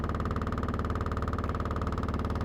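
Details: Washing machine on spin cycle, recorded on the porch: fast even thumping with a deep drone, knocking and vibrating the whole porch.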